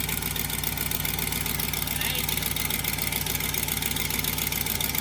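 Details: Crown Vic V8 after a replacement 4L60E transmission and a rerouted power steering return line to fix a leak: steady, even idle with regular low burble, no squeal or chirp from the belt side.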